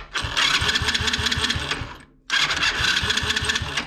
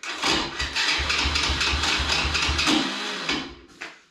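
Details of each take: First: Alpha 110 quad engine after starter chain replacement and overrunning clutch repair, which had caused a crackle at startup. Two clean starter runs with even rhythmic chugging and no crackle or grinding between pulses; the starter engages normally. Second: Alpha 110 quad bike engine at start-up: uneven crackling rattle about twice a second while cranking, with sharp ticks; the starter one-way (overrunning) clutch is slipping, repaired along with the starter chain.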